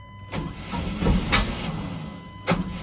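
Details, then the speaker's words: Sonoma pickup cranked repeatedly: the starter turns the engine in uneven bursts but it never fires; crank no-start, cause unknown. "Come on. I've given up. It's not going to start. Very unhappy pickup."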